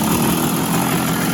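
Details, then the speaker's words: 1966 Bridgestone 175 two-stroke twin, sat 30+ years, after clearing the plugged left exhaust of insulation and refilling the transmission: busy, even buzz at idle, steady, no cutting out or spitting; runs much better; normal idle. "runs so much better because after I got that transmission feel in and I got a call I just do a good job with the sealer"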